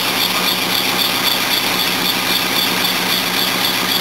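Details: 1976 Mercedes W123 230 four-cylinder with carburettor, first start on look-over; steady idle with sharp high chirp about four times a second over hissy tick: noisy belts, leaking exhaust and a vibrating bracket, engine itself sounding okay.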